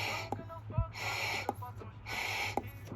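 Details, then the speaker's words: New PCV valve for a 2008 VW GTI MK5, blown through: breathy puffs of air, each ending in a small sharp click as the working valve snaps shut. The old, leaking valve doesn't click. "So you can hear that little air clicking. And this is the old one. It doesn't click."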